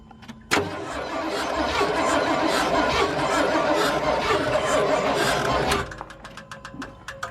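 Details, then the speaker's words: Truck engine cranking and catching with harsh rough grinding and rising screech for about five seconds, then dies; squeaking and faint thud noted, timing possibly too advanced, suspected bearings or tight lifters, cause unconfirmed. "yeah I was thinking it was too advanced personally man it really sounds like bearings grinding to me"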